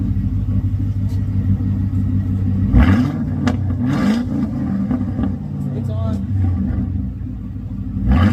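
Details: Car with Flowmaster X-pipe and 2.5-inch exhaust all the way back, mufflers cut off after being crushed: deep, loud droning idle with raw unmuffled barks on each throttle blip, straight-through exhaust.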